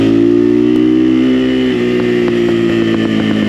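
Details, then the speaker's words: XPro Templar 250 X 250cc street-legal dirt bike, first 100 miles, riding; on closed-throttle deceleration irregular sharp crackles and pops from exhaust; owner believes harmless afterfire, not backfire. "I forgot what it's called, but the CF Moto does it as well. I think it's called afterfire. But from the research I've done, it shouldn't affect anything. It's just popping and cracking."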